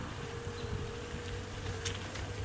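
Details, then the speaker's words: Xtreme 300-SLA e-bike while riding: steady mid-pitched whine under tire and wind rumble; normal hub motor and controller electronics sound, nothing wrong. "You might be able to hear the whine from the motor. It's just"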